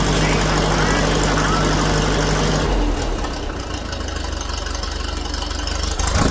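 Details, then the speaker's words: Old grey Ferguson (Fergie) tractor, first start after years sitting in a field, choke used; fires and settles into an even steady idle with no knock or misfire, a little smoke, running like a Swiss watch. "yeah all oh yeah isn't she running and don't she run like a Swiss watch"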